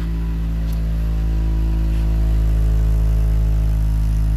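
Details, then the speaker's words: Wrecked Honda car starting after new fuel pump relay and pump (35 psi fuel pressure): deep, heavy, even rumble at idle, far louder than stock from a sheared-off exhaust pipe; runs really well. "it's got a sweared off exhaust runs really good"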